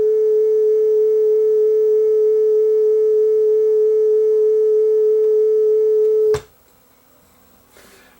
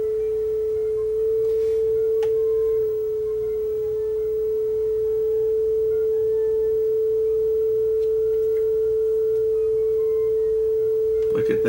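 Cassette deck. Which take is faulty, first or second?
first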